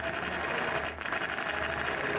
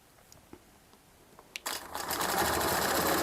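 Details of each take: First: Longarm quilting machine stitching feathers: fast, even stitching with a hard, sharp punch on each stroke, not a clean sound; the dull needle is forcing through the fabric and needs replacing. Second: Longarm quilting machine stitching ruler-guided feathers on a quilt: steady, even stitching chatter that runs up smoothly and winds down cleanly, with no knocks or skips. The owner elsewhere suspects the needle needs changing, but the stitching sounds normal.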